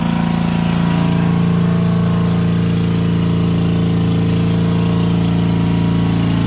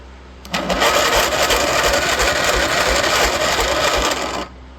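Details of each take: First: Brushless 10 hp junkyard generator (about 5,500 W), fed by an electric fuel pump, under light and angle-grinder load: a steady single-cylinder drone, pitch shifting slightly around six seconds as the governor settles; running cleanly. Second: Junkyard small engine with oil added to the cylinder, compression slowly building: slow, uneven cranking at about four turns a second without catching; weak starter, but it still turns it.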